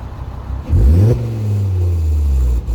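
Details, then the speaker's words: 2011 Volvo C30 T5 R-Design with Simons exhaust and a 3-inch downpipe revs up then falls away, with a low droning buzz on deceleration starting at 2,500 rpm. The rear muffler box is blamed because a smoke test showed no leaks. "That's at the buzzing sound actually starts at 2,500 RPM. So it's on deceleration, the sound."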